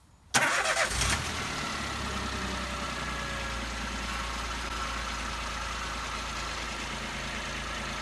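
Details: Peugeot 107/Toyota Aygo/Citroen C1 1KR-FE engine after water pump, drive belt and pink antifreeze replacement: quick start with brief flare, then smooth, even, quiet idle with no knock or whine; normal.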